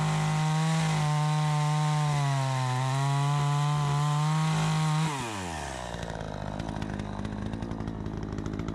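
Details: Troy-Bilt 20-inch chainsaw, bought new, after carburetor adjustment: strong steady high buzz holding firm while cutting, then dropping cleanly to a smooth idle; cuts better than ever, owner may seek slightly more RPM; normal running under load.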